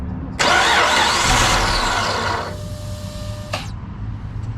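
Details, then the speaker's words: Chrysler 300 Limited 3.5L V6 with a junkyard replacement engine, first start after the swap: starter cranks steadily for a couple of seconds, never fires. Cranks, no start; owner suspects it isn't getting gas. "I mean, might not be getting gas."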